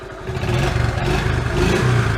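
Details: Old three-wheeler revived after its gummy carburetor was cleaned. Under quick throttle blips the engine climbs and settles with clean pickup, no stumbling or misfire: normal revving.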